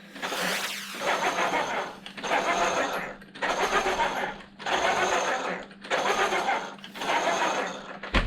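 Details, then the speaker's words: Traxxas X-Maxx on the bench after reinstalling the shaft: six short runs of high whine over low hum, same noise; owner suspects out-of-round aftermarket gears causing tight mesh and heat. "exact noise so I have a feeling it's got to be those aftermarket gears they're just not round and it's creating a Tight Mesh which is going to cause heat problems"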